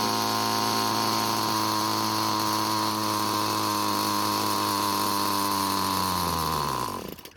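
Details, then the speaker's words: Found-free trimmer with a single-screw carburetor (special D-tool): turning the fuel screw clockwise to lean it, the steady high buzz sags in pitch over about a second and dies; the engine stalled from a lean mixture. "so initially i tried turning it clockwise to reduce the fuel flow and it killed the engine as it was dying i tried saving it by turning it back but i wasn't able to catch it this time"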